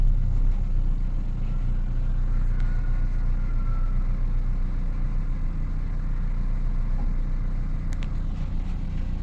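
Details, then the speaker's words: Car that had misfire code P0300 with cylinders 2 and 4 flagged, after the ignition coil was replaced: even, steady engine hum in gear and reverse, no stumble or shaking. Normal running. "siente muy bien. Ahí está. No tiembla absolutamente nada."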